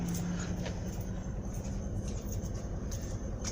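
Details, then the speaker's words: 2002 Chevy Trailblazer, stored two years, idling with an uneven, lumpy beat; the scanner shows P0300 random misfire. "she holding but we definitely got a misfire yeah P0300"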